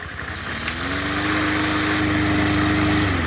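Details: Free 20-inch Bolens push mower, fixed up and sold, started on pickup day: engine catches, climbs to a steady even drone and holds smoothly with no misses or knocks; running healthy.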